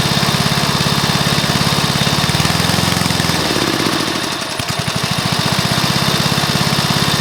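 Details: Briggs & Stratton mower engine (believed early 1984), first start after rebuild with new piston, rings and valves for oil consumption (loose rings, worn valves); steady even single-cylinder firing at fast idle, short dip midway then picks up cleanly; normal running.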